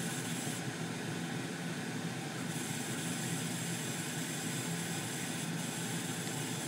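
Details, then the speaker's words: Gas furnace with only the inducer fan running before the blower starts: the main burners light with a steady, even roar of flame and fan, with no pulsing, rumble or rattle; normal burner operation. "now though you can hear the uh furnace start up there's Flames going on inside there and see the light the glow from it see it's running"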